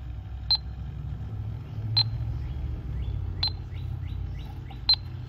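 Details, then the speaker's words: Electronic leak detector checked while hunting a refrigerant leak after an R22 TXV was wrongly installed instead of a 410A one and 6 lbs of refrigerant leaked out; four sharp high beeps about 1.5 s apart over room hum, detector powered and working normally. "let's see if this bad boy works like ellie tech we're going to put it there and we'll hear it start to beep like crazy"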